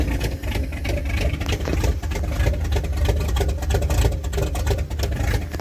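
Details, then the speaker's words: 1978 Dodge D100 V8 after fuel pump swap: very low, rough idle with uneven puffing knock about 1.5 beats a second; owner suspects an exhaust leak causes the knock, also possible miss or fuel starving, some smoke. "The exhaust leak sounds like it has a knock almost or makes it sound like it has a"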